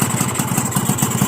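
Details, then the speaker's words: Two-stroke engine with normal carburettor and no leaks: uneven idle, low popping about six per second, stalls when turned down toward 1,500 rpm and dies on sudden throttle; owner suspects over-high compression, not jet size. "ดับน่ะเห็นมั้ไม่ผิดเลยดับนะครับก็สันนิษฐานว่ากำลังอัดเกิน100%เพราะว่าคาบูมันไม่รวนมันจะว่านมหนูเล็กไปมันก็ไม่ใช่หรอกนะครับ"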